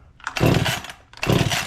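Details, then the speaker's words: Free Echo CS-271T top-handle two-stroke chainsaw with the idle mixture backed out: it catches in two short rough surges and dies each time, running really lean. The owner suspects an air leak from a bad seal, which is unconfirmed. "Now it won't run, right? I kept on backing out the idle mixture, seeing if I can. So that's what it's doing. It's acting really lean and then dying."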